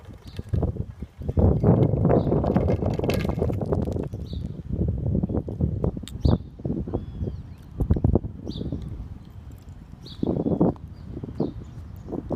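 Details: Iron-grid cattle grid in a street, broken for over two years: bursts of loose metallic clatter and clunks as vehicles roll across, birds in background; worn, nearly destroyed grid rails banging.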